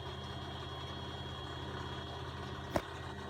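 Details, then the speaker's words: Beko WX842430W 8 kg front-loader, possibly 2017, likely universal motor, empty on spin-and-drain start: steady low even pump hum, one sharp click near the end, no rattle or grinding; normal drain pump and spin start. "now let's see if it does anything i've got it attached to everything water and whatnot spin and drain start spin click pump oh it's moving i think this is a universal motor"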